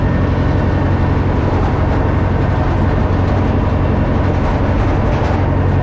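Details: Old Caterpillar 955L track loader, long unused, after topping up transmission and another reservoir, possibly the final drive, working under load: deep steady diesel drone, even and unbroken, no knocks or grinding; healthy.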